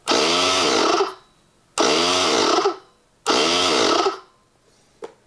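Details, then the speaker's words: Vacuum pump for a digital vacuum wax injector, newly filled with oil (overfilled, table slanted); three short motor bursts about a second each, winding up then stopping; owner suspects a sticky switch. "I think this switch might be a little sticky it's it looks it sounds like it is sticky let's try it a couple more times"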